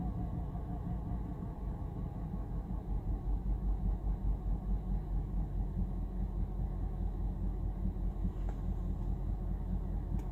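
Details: 2011 BMW 328i petrol engine at cold start, radio off: a low, uneven rough idle surging about twice a second; the fix was replacing the Valvetronic shaft sensor.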